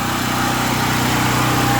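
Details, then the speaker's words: Gasoline generator converted to run on propane through a fine-tuned regulator, running wide open with 240 V output after starting in two or three pulls: a loud, steady, even buzz with no misses or surging. Normal running on propane. "I know it's loud but running wide open on propane literally take two or three pulls to crank it I'm pleased with it"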